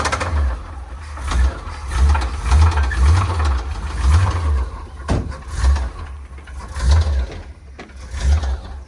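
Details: Square-body Chevy dump truck small-block V8, found about 3/4 low on oil and topped up before start: heavy low bottom-end knocking under a rough, surging idle that stumbles and dies; rod bearing suspected before teardown.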